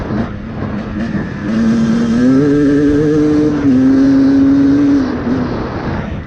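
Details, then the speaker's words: 2024 Beta 250RR Racing two-stroke with a 38 mm Lectron carb, leaned to about 3.5 turns out then a further quarter turn, woods test: revs climb smoothly with a clean, crisp note, rich sputter gone, running well. "Crisp throttle response. Yeah, I'd say that runs pretty good now"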